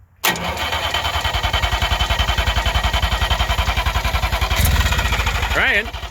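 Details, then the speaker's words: 1958 DKW pickup, three-cylinder two-stroke, long unused: steady cranking about three and a half turns a second for five seconds, never fires; temporary substitute tank propped on wood, gravity feed with no fuel pump; crank no-start from fuel starvation. "all right we've been having some trouble getting this uh rig started this is not the right tank for it so we've just got it sitting up on some wood here so that the line it's just a gravity feed there's no fuel pump"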